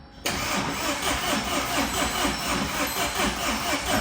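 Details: Tata 2.2 diesel 150 hp, hard starting, stalls, won't rev, noisy, oil dry: catches abruptly and runs rough and uneven; cause scored crankshaft, worn bearings, oil pump not working.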